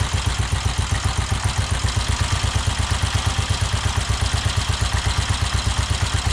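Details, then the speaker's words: 1969 BSA Starfire single, first run in over 15 years, with a new carburetor cable, possibly 5100 miles; steady, even thumping with no misses. It fired up easily, suggesting the timing is good (not checked). Normal running. "the engine sounds really good for it to fire up that easily you know that means your your timing and everything is good spot on which I didn't check"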